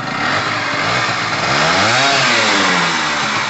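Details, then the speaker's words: Pulse Force 50cc two-stroke scooter after fitting a new fuel line, petrol heavily mixed with two-stroke oil after sitting a while: crisp buzzing note revving cleanly and evenly with no misses; normal two-stroke revving. "yes i love a two-stroke sound brilliant i reckon this is a quick little bike as well"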